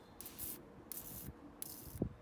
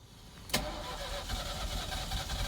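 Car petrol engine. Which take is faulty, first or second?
second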